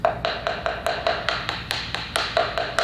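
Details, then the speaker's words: Sun-room floor tile: rapid taps ring hollow and drum-like instead of solid, showing a void under the tile. "if you have a tile that's got that situation it's got that Hollow sound which actually we have one right"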